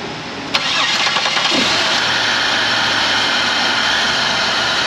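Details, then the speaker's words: 2003 Chevy Monte Carlo 3.8 after intake manifold repair, oil filled, coolant low: brief starter whirr, engine catches and settles to smooth even idle, no knocks or ticks. "now it is alive"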